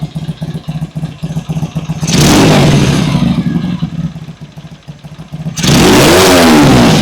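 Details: Vintage British motorcycle, first start after cleaning the pilot jets (previously idled poorly): fires and settles into an even steady beat with clean throttle blips; runs properly.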